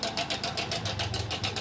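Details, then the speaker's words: Hero Passion Pro i3s motorcycle at idle: fast, even metallic tick about eight a second over the single-cylinder engine; a worn/broken timing chain causing the tick-tick sound. "तो दोस्तों, इसमें से टिक-टिक-टिक की आवाज आ रही है।"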